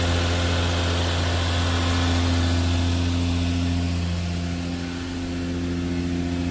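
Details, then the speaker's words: Turbo Lexus IS300 on ECU Master Black standalone (plug-and-play harness, stock ECU runs automatic), injector dynamics ID 250 injectors: first cold start, steady even idle with no knocks or stumbles; AFR rich at 10.5 then 12s; normal cold idle. "Oh, good sound right away."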